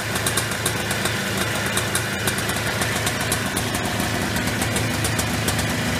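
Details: Early-1990s Polaris Trail Boss 250 two-stroke quad, first start after replacing crankcase seals for a suspected air leak: steady, busy idle with even crackle and no hunting or surging. Runs healthy after the repair.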